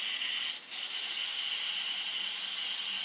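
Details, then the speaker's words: Homemade high-voltage capacitor in a breakdown test, stripped to one dielectric layer on a homemade supply up to about 30 kV: steady thin high-pitched hiss with faint whistle as it breaks down, current off the scale; brown spot and hole burned through the dielectric. "there we go it busted down to one layer and we can see the current is off the scale you can hear it hissing"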